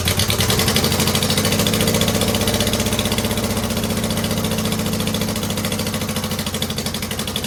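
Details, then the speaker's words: 2009 Subaru Forester X, naturally aspirated EJ253, second start after installing the engine with remanufactured OEM heads. An uneven, lumpy, wavering idle that slowly settles. One airbox hose was found unplugged and one intake hose misrouted. Vacuum leak. "Well, I would not say that was a terrific second start, but I could find this hose here off the airbox and this hose off the intake were one of them was unplugged. The other one was in the wrong spot."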